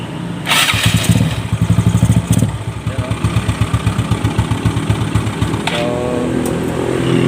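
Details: Yamaha Mio Sporty being repaired for a starter bendix problem: the starter catches within a second, then the engine settles into a steady, even putter of about four beats a second; a normal, healthy start and idle.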